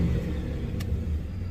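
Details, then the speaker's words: 2006 Lincoln Town Car after replacing an ignition coil that caused a misfire under heavy load, with a mid-grade Blue Streak coil: smooth, steady low engine note with no stumble, check-engine light cleared; normal running. "check engine light on as in clear jet here you can hear the motors not stumbling"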